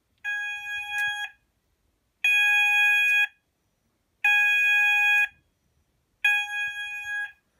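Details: Haes Vector addressable fire panel system test, alert stage: a clear ringing tone pulses one second on, one second off, with the panel relay clicking to pulse the sounder circuits; the sounders are working normally.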